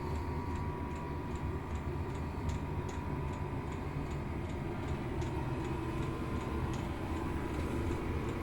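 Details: Chinese diesel heater in a garage, running at setting three after firing up, warm air starting: steady fan rush with a light, even pump tick about twice a second; burning and running normally.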